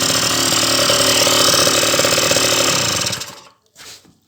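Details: Honda Dio scooter two-stroke, won't hold idle, carburetor floods, after crank seals and piston work: buzzy revving about three seconds then dies; fuel pressure too high, fixed by tightening hose clamp to restrict flow.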